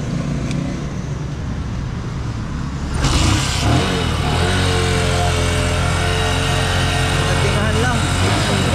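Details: New Bajaj CT125 single that suddenly died with loss of compression, fixed by adding oil and fuel and kicking hard, carbon deposits on the valve blamed: quiet start, then an even beat of about four pulses a second; running smoothly.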